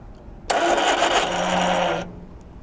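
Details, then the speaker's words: 1978 Triumph Spitfire 1500, sat unused for years, first crank after a new water pump was fitted. The starter spins the engine briskly and evenly without dragging, and it turns over more easily than before; cranking sounds healthy. "oh starts sounds healthy to begin with lovely"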